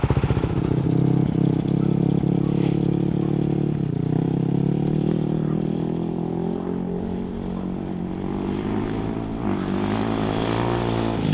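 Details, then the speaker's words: 2007 Yamaha YFZ450 quad after fitting new Jet Lab carburetor to cure popping: single-cylinder thump pulls cleanly through revs and back off, no pops or bangs on deceleration during short ride; runs clean and healthy, popping fixed. "She sure sounds like she's running a whole lot better today. No more popping and busting out."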